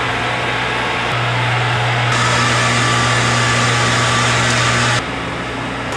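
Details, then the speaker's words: Bottle-washing machine draining its first soap wash before refilling with boiling rinse water: loud steady drone with constant low pump hum cutting out near the end; normal draining. "de la machine est en train de drainer la première le premier le premier lavage la machine à savon puis le remet de l'eau qui est bouillant"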